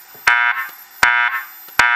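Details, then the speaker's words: System Sensor SP1W24110ADA flush-mount speaker strobe fire alarm under test: sharp, bright horn bursts repeat about every three-quarters of a second as the evacuation alert tone, with strobes flashing, before the voice evacuation message plays. "so let's have the strobe go and have the message play so let's say somebody pulls it in the building strobes are going for a little bit then the message starts"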